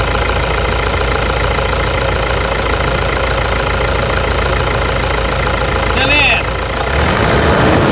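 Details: 2009 Toyota Hilux diesel after replacing a stuck injector. Steady idle with even, regular clatter and no loud irregular knocking; injection sounds normal.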